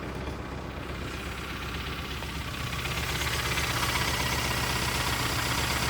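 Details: Suburban engine that took rain water into the intake, water shooting out while cranking: steady hard knock about four times a second over a rough uneven run; suspected bent connecting rod, engine likely toast.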